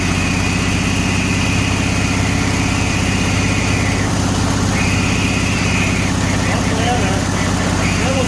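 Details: Chevy S10 street rod, homemade turbo setup with carbs, fired up after carb tweak, run in shop: loud idle with uneven lumpy beat that wanders, like a cylinder dropping in and out; rough idle, cause unconfirmed.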